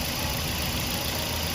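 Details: Toyota Vios 1NZ engine after replacing the failed cylinder 1 ignition coil (was shaking and misfiring at idle): smooth constant idle with even low thrum, no skips or cutting out.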